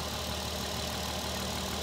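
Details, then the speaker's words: VW R32 with 55k miles, cold morning idle: faint knock under a steady hum that fades, louder right at startup; after an accidental downshift to 3rd at 75–80 mph, the owner suspects rod knock, unconfirmed. "hey guys I'm retort recording this engine sound doesn't sound good I don't know let me know what you think is that that knocking sound starting to go away"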